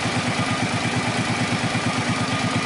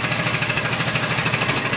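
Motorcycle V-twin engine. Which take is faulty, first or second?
second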